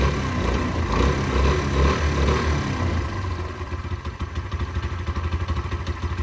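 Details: Derbi 125 single, a former non-runner, after a carb service and fuel tank clean: it catches quickly, revs up, then settles to an even putter of about two and a half beats a second; a healthy start.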